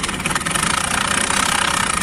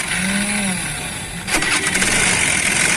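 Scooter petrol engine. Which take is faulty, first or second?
first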